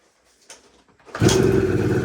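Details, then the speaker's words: 1980 Suzuki TS185 two-stroke enduro, sat behind a shed for over 20 years, kick start: quiet kicks, then it suddenly catches and runs rough and uneven, just firing up, not yet clean. "Okay, signs of life, that's good. I can hear it kind of wanting to go. Whoa. Getting there."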